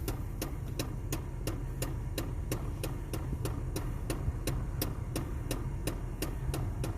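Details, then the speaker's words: 2004 Pontiac Sunfire with instrument cluster (IPC) acting up and Class 2 network issues: sharp, even ticking about three times a second over a low hum, coming back after sitting; repetitive click behind dash, source unconfirmed (possibly HVAC actuator). "I haven't lost any instrumentation yet just go in the IPC right away now that noise is coming back after it sits a little bit"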